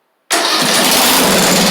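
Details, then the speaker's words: Craftsman YT4000 mower single-cylinder engine, test start on starting fluid, rusty muffler fitted: fires instantly and holds a steady, even roar with no knocks or misses; sounds healthy. "Awesome. That thing sounds good, too. Muffler doesn't even sound all that bad."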